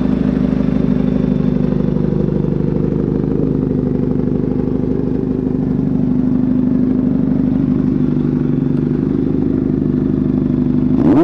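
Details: 1983 Kawasaki GPZ-550 garage find after carb rebuild and tuning, Kerker exhaust, test ride: steady even four-cylinder burble under way, no misses or knocks; pulling smoothly.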